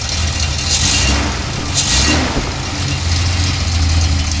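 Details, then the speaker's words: 1974 Datsun 260Z with exhaust leaks temporarily plugged, timing set and carbs tuned: uneven, loping lumpy idle like a cam with steady hiss, persisting after adding fuel; owner will check the valves. "um was idling pretty slopey like it's got a cam"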